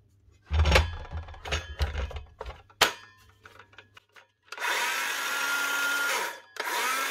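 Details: Power tool motor after a new brush holder and brushes: spins up to a steady, even whine in two short runs with no crackle, sparking or stutter, so the armature is fine and it runs healthy.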